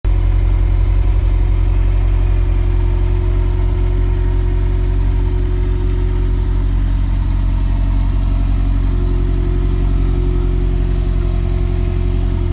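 Turbo petrol engine at a steady idle with a loose, uneven low pulsing underneath; there is a noise, but nothing points to a cause.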